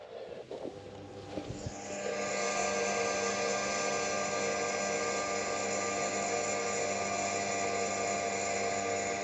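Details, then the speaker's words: 1990 GMC Sierra OBS abandoned project; after tightening loose starter wiring, a click then a steady, even electric whine holds without wavering as the fuel pump primes normally; starter does not yet crank. "Oh, we're getting a click out of it. Anyway, is that the fuel pump? Yeah, it's fuel pump. Hey, we have a fuel pump."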